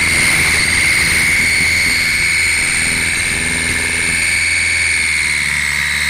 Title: Ford Galaxy 2007 1.8 TDCI whistle noise when accelerating